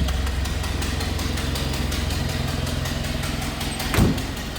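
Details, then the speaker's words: 1931 Ford Model A, three-speed floor shifter, idling in neutral after a choked start: a low, even four-cylinder idle with a faint rapid puffing tick on each exhaust pulse, from a known small exhaust leak; otherwise a smooth runner. "Did mention a little bit of an exhaust leak, but you can hear it now."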